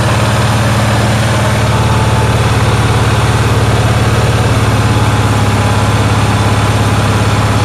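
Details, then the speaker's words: Onan generator in cold weather, idling very high with a loud, fast, steady drone and no rise or fall; the owner earlier traced a cranking problem to the fuel pump getting too little voltage, and the high-idle cause is unknown. "uh but i'm having another issue it is idling very very high"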